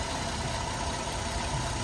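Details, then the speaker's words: GMC Acadia 3.6 bought whole at auction, jump-started from a battery: warm idle with an even, steady hum, runs smooth, no ticking or knocking, no low oil pressure light; engine sounds healthy. "it runs pretty smooth it sounds really good um I'm gonna let it run for a little while make sure it's not overheating or anything I don't hear no knocking"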